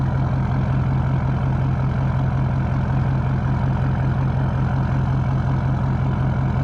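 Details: 2012 Ford F550 6.7L Powerstroke diesel at idle, recorded 16 inches from the exhaust tips during a resonator-install comparison: steady low idle rumble with an even beat about twice a second and no misses or knocks; a healthy diesel idle.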